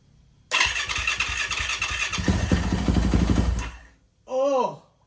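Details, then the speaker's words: Yamaha YZ450F auction bike started after new parts with no throttle cable hooked up: it fires and runs ragged, popping unevenly for about three seconds, then dies. Owner suspects a sensor not plugged in right or air in the fuel system. "it it ran it didn't say running I don't have a throttle hooked up"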